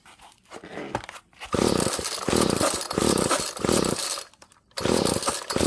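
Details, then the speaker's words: Found free GTI 16D two-stroke string trimmer with compression, choke on: buzzy bursts that catch, die back and pick up, then a steady revving run; starts and runs fine. "so yeah that's good to hear that this thing actually started sounded good"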